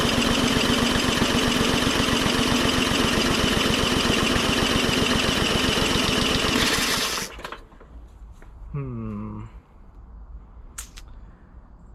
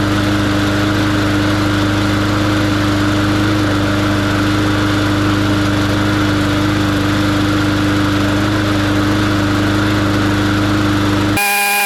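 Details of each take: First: MTD 20-inch mower with Briggs & Stratton engine, previously hydrolocked with oil: steady fast cranking at about four strokes a second with no firing, then stops; spark present, blocked carburetor jet (later drilled out with #74 bit). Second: Briggs & Stratton engine on a 20-inch MTD mower, cold start after clearing hydrolock from oil overfill: holds a steady, even single-cylinder drone at constant pitch, no stumbling or surging; runs healthy.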